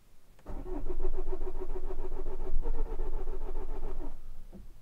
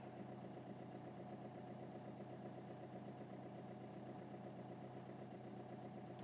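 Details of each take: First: Vauxhall Corsa D 1.3 CDTi diesel with intermittent non-start and code P0685, plus ECM communication/invalid-data codes and flashing warning lights: starter cranks steadily for about four seconds but the engine never fires. Cause not confirmed. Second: Vauxhall Corsa D 1.3 CDTi with intermittent non-start (P0685), codes cleared, started first try after sitting: steady, even diesel clatter at idle with no misses or knocks; normal diesel idle.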